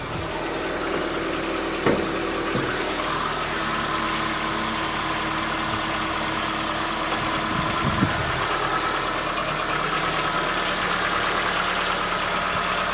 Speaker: o dia, na primeira partida, ou quando mesmo esfria, tem que ouvir esse barulho. Barulho característico para mim, motor de diesel.